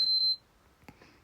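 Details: PS5 that had been beeping three times and not turning on, repaired for a BIOS problem: one short, high beep then a faint click, the normal single power-on beep.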